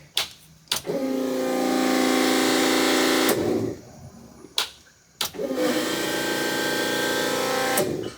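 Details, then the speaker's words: Minivan with a newly fitted Fuelab Prodigy brushless fuel pump, part 42402, being primed for the first time on E fuel: two key-on cycles, each a loud, steady whirring hum of about two and a half seconds ending cleanly; priming normally. "This bitch is loud. Alright, so I hear it going back into the cell now. I think we've got it primed."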